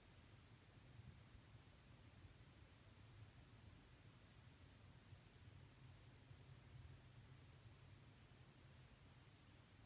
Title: LG 43UD79-B ticking noise